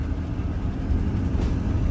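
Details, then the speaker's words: Newly bought diesel box truck at idle: a steady low rumble with a faint regular tick; the owner is unsure whether the tick is normal, and it otherwise runs good. "you're gonna tick not sure if that's normal or not she does run good"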